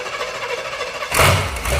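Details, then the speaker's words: Truck's carbureted V8 started off the key with no fuses fitted: it catches right away and settles into an even, steady idle with no knocks or misses, not very loud, "runs like a Cadillac"; normal start and idle. "Hey, nice runs like a Cadillac. It's not even that loud."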